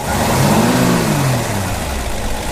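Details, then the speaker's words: 1960 Ford Ranchero V8 revved after an easy start (two pumps of gas), no smoke; climbs smoothly through a quick rev and settles back evenly, no knocks or misses, "like a little sewing machine" — normal revving. "very smooth sounds like a little sewing machine"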